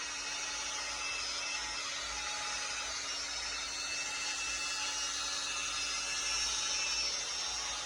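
High, steady motor whine with a harsh rasp and a faint repeating flutter on top; the drill runs noticeably rough, cause unclear.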